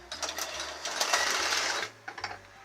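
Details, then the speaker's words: 1975 Tyco HO scale Chattanooga 2-8-0 locomotive, just oiled and greased after a long time unused: soft, light motor whir with faint uneven wheel and track clicks, likely from dirty track; no grinding or buzz, runs quietly. "That's a quiet locomotive now. Listen to that. I mean, granted, it's not perfect because the track is probably dirty."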